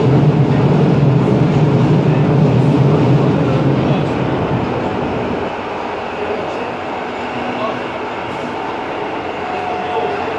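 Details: Ansaldo Breda light-rail car A19 (1996, Italian-built, AEG motors, three-car set) running between Ankara stations; loud heavy rumble with rhythmic rail clatter easing slightly midway, excessively noisy ride.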